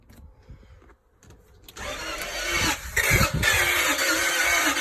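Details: Range Rover with BMW M62 V8 that has spark and fuel: starter churns at a steady, even pace for several seconds with no engine catching or firing; cranks but won't start.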